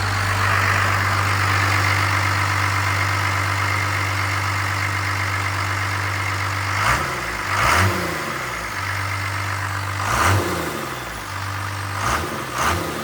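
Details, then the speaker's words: Rebuilt Cummins-swapped Ford truck (the "Fummins"), rebuild just completed, hood closed: even diesel idle with a steady high turbo whistle on top, then a few quick throttle blips; healthy turbo spool, nothing abnormal. "I'm still kind of screaming talking in camera but I'm not going DEA driving this thing listen to this turbo whistle"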